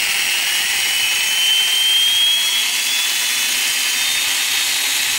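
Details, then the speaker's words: Flywing FW450 V3 RC helicopter tail on spool-up: high thin whine climbing in pitch with gritty edge; suspected tail gear noise or tail motor, cause unconfirmed. "okay guys I got a little noise out of the tail I'm gonna try to get it in the camera here"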